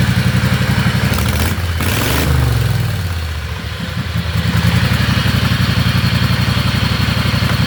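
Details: Riding lawnmower after fitting hydraulic brakes and shifter to its transmission, no noise from the setup; even thumping idle about four beats a second, no grinding or transmission whine: normal running.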